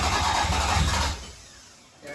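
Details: Black Toyota MR2 3VZ-FE V6, alternator suspected seized: about a second of laboured dragging cranking that dies without catching; slow cranking, owner suspects battery or stuck alternator belt dragging the engine.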